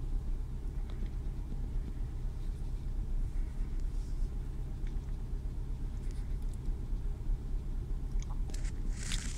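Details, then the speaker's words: Renault Clio 2 1.4 16V at idle around 1000 rpm: deep, lumpy, uneven idle, car shaking, engine light flashing. Scan tool shows a misfire on cylinder 1; the plug was already replaced and the problem remains. "donc là le moteur il est sur 1000 tours mais si vous voyez donc moi qui est dedans la voiture la voiture tremble et sûrement le témoin gestion moteur va clignoter pour un moment voilà c'est le cas"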